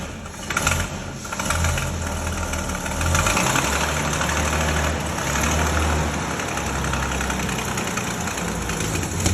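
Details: 1932 Bedford WLB petrol coach, first start after overhaul: cranks, catches unevenly, then settles into slow, throbbing, even idle; running properly.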